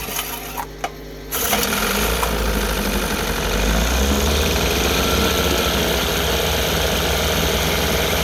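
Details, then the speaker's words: Rebuilt 1960 Evinrude Fisherman 5.5 hp two-stroke outboard in a test tank, first cold start after rebuild on choke: quiet, then it catches on a pull (fired in 3 pulls) and settles into a steady even putter while warming; running healthy. "She fired off in 3 pulls. Let it warm up a little bit, and I'll see if I can dial the idle in a little better."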